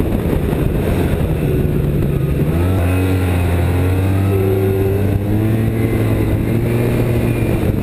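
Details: 2007 Arctic Cat Z1 snowmobile revving up and down: thin wavering squeal following revs; drive belt squeal, cause unknown, possibly slipping or glazed belt.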